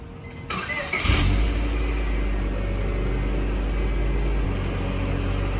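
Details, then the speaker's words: Muffler just installed as part of a whole new exhaust system on a 99 Honda Civic winter beater (108k miles), replacing a loud exhaust where the catalytic converter pipe fell apart; starts after short crank, steady deep smooth idle, no rattles or leaks; normal exhaust note. "got the muffler all mounted up in place start it up and see the sounds like"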